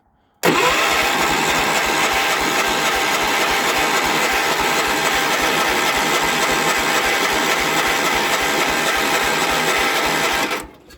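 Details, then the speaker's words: Cold riding machine, full throttle, choke cable seized and disconnected, charging system not working; starter churns about four turns a second for ten seconds, never catches; cranks, no start. "tried again i raised the throttle all the way up the choke is not hooked up the cable is seized this will probably be a cranker wanker"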